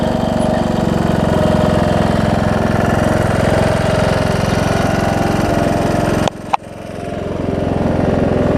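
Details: John Deere D110 mower engine test-running after a full rebuild with a new head gasket, done after a detached flywheel magnet was found: even, regular thumping at steady speed with one brief interruption, no knock or miss. Possible valve-cover oil leak, maybe burn-off. Normal running.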